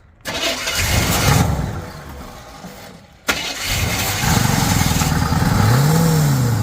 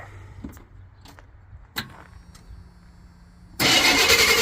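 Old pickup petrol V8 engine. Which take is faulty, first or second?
first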